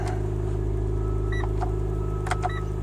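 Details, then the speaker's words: 2011 Mitsubishi Lancer Sportback ES, about 225,000 km, cold start at -12°C with door open: thin steady belt squeal above idle since a lightweight crank pulley was fitted, tapering off as it warms. "ever since I put the lightweight crank pulley on it's got a little bit of a line to it when it's warming up but it tapers off eventually"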